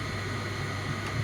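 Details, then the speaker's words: Logik LVD7W18 condenser tumble dryer after repairing damaged wiring at the moulded plug that tripped the fusebox: steady, even low motor hum with soft airy whoosh, no knocks or rattles. Running normally. "and as you can probably hear machine is uh running"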